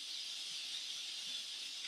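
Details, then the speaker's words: Instant Pot pressure cooker after rice cooking and 10-minute natural rest: loud steady high-pitched hiss of steam venting normally from the release valve. "we're just gonna let that vent and get it opened up okay it's all done venting and lots of steam"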